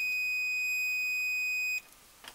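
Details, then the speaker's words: Multimeter on continuity or low-ohms setting with probes touched together, before testing a wall A/C unit's thermal cut-off: single steady high-pitched tone under two seconds, then cuts out; meter indicating continuity. "Put this on a continuity setting or a very low ohms range. Right now, I'm touching the probes."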